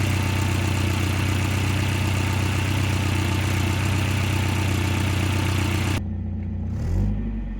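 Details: 1989 Volvo 740 GL, sat in a field for years, no coolant: started straight up, steady even idle with smooth low hum, no knocks or misses, then shut off; normal idle.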